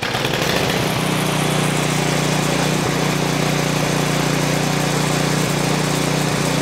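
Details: Craftsman 536.881651 snow blower, Briggs & Stratton 12A113 type 0350-E1 built 2005, heavily primed and on choke: loud, steady drone with slight unevenness and occasional stumbles. Rough running.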